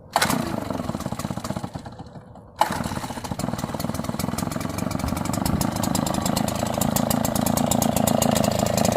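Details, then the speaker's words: Red Max EBZ8500 backpack blower, left-hand throttle, cold start: primer pumped, choke set, pull start catches, sputters and struggles on choke, then choke off and it runs a steady, rising, clean, even two-stroke drone. Normal start. "Now when you start it, you're going to hear it kind of going and going. And once it starts to struggle, that's when you know everything's working, and then flip the choke up and let it"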